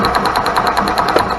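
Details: Club Car gas golf cart that turned over but wouldn't start: rapid even ticking about ten a second with a sharp crackle from a spark tester as the pedal is pressed; spark returns once the faulty RPM limiter box wire is disconnected, coil was fine.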